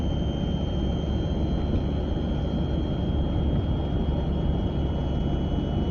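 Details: A 940 at about 30 to 40 mph: a steady high-pitched tone rides over even road rumble from the passenger side; the source is not yet pinned down.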